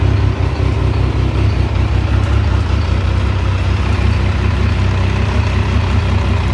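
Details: T595 Triumph Daytona engine running: deep, uneven rumble with faint irregular clatter over the idle; abnormal engine noise, cause unknown.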